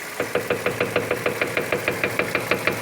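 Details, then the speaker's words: Steering rack checked under the car with phone close to it, ball joints leaking and loose: rapid even clunking knocks several a second; worn steering rack, noise shows on cobblestones and uneven roads, needs repair or replacement. "Ó, a gente já consegue evidenciar o ruído da caixa. Isso é quando passa em pisos regulares, né, ou paralelepípedo."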